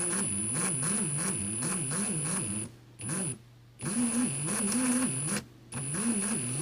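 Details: 2017 Ryobi R18PD7 brushless drill: strained, pitch-wobbling motor and noisy gearbox at light trigger, cutting out briefly twice as if overloading and needing trigger release to reset; fault.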